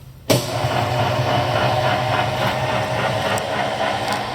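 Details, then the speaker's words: Oliver Model 600 3-inch drill grinder (2200 RPM spindle) started, coolant pump starting automatically: motor kicks in sharply then settles into a steady, even hum with coolant pump whirring, no knocks or grinding; good shape. "you can tell, it sounds like it's in really good shape."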